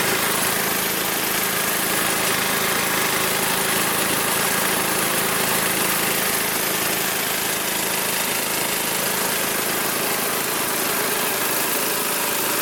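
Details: Magna air compressor, circa-1983 Briggs and Stratton engine, sat 5 years, first start on carburetor alone without carb cleaner: fast even single-cylinder putter at constant level, no misfires or surging; runs awesome, reaches 100 psi, owner may raise to 120.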